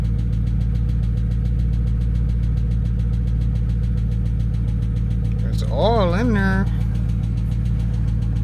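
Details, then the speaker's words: Dodge Charger Scat Pack V8 that sat unused with a dead battery, first start: steady idle with a fast, even light tick about three or four a second; owner suspects a lifter, plans oil change and additive. "I hear some ticking [Applause] man that's not good guys why is the we here ticking coming from this damn motor that's a tick that's a bad tick I don't like it at all"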